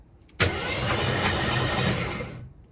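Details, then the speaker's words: AMC Concord parked 26 years since 1997 over carburetor issues, after tightening battery terminals: brisk, even starter cranking about two seconds, engine spins freely but never fires; next steps spark check and carburetor cleaning. "That's turning over pretty fast. It's turning. I like that."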